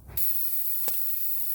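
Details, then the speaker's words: 2006 Honda Odyssey tire with a nail, just pulled before plugging with a plug kit; sudden steady high hiss of air rushing out of the puncture; tire air leak. "Hear that air?"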